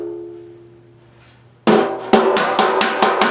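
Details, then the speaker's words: 1955 Farmall Cub tractor sheet metal restoration: after a quiet lead-in, about seven sharp, bright ringing hammer blows in two seconds; on-dolly pinging means the metal is stretching, a thud means slightly off-dolly. "see when you hear the thud that means I'm slightly off Dolly which is what you want and then when you hear the real pinging that means you're uh you're starting to stretch"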